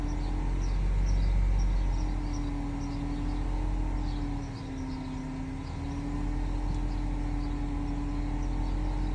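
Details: BMW E60 530i with M54 petrol engine idling smoothly, with a steady mid-pitched whining noise riding over it that sags briefly then holds level.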